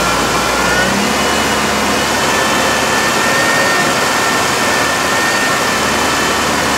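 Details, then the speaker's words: 2001 GMC Sonoma 2.2L after engine replacement, held at about 2,000 rpm to circulate coolant until thermostat opens: steady even high idle, no knocks, misses or wavering; healthy. ",000 RPM until I'm sure the cooling is circulated through the thermostat's opened up and I've got good heat"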